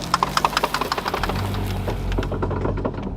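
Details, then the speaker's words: Noise when turning the steering: a quick run of sharp, even clicks about eight a second, fading into a muddy background; the shop suggests the tripod (tripoide) drive-shaft joints may be worn. "es posible que sean los tripoides y no te preocupes si el tripoide no se consigue hasta te lo podemos fabricar"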